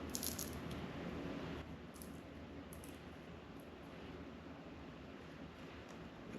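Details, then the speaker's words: Chevy C10 carburetor being inspected and cleaned: dry, crunchy rattling each time the power valve is pushed in; the power valve has failed and needs replacing. "This little valve here seems like this was this is the power valve. This little power valve seems to be Oh yeah. If you can hear that crunchy as hell."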